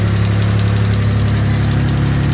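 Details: Mitsubishi GTO MK1 (3000GT) twin turbo at idle, before lifter replacement: quick, light ticking riding on top of an even idle, keeping pace with engine speed; noisy hydraulic lifter tick.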